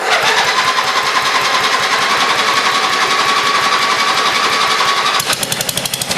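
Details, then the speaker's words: Old free Lawn Chief riding mower, small single-cylinder, first start on a dribble of gas with a makeshift battery hookup: fast, slightly uneven patter with a faint whine; runs rough, owner thinks it needs fresh gas, a tune-up and a battery cable. "like it definitely is some fresh gas and a tune-up and a new battery cable in but hey she runs"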